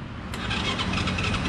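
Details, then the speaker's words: Motorbike that had died and won't start by kick or electric starter, with the ignition control unit plugged in: even, rapid starter whirring with no firing pulses. Cranks but won't start because the ignition coil is burnt. "Con này nó đang bị cháy cuộn lổ rồi anh em ạ. Chúng ta cắm vào nó cũng không lổ được đâu."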